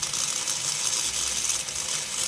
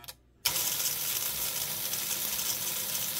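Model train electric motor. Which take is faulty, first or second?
first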